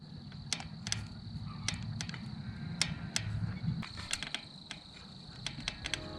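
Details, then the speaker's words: microSHIFT Advent X cassette creaking badly after 2 months, mainly when climbing: sharp irregular clicks and creaks, several per second, when torque is put on the top of the alloy spider; owner presumes steel connecting rods galling against the aluminium. "So whenever I put torque down at the top end of the spider, it creaks really bad."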